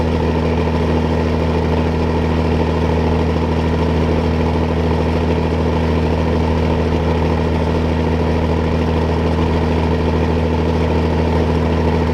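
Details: John Deere combine diesel engine idling on a hot, dry day while warming up; deep, steady idle with an even beat and no knocks or misses; normal idle.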